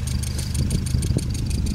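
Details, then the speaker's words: 1977 Toyota Corolla GT after ignition cut-out fix; exhaust bolts still leak slightly but quieter; even idle with light quick regular exhaust puffing, no knocks or misses; normal idle. "currently it's running perfect nothing wrong with the sound system it idles perfectly I'll start it up"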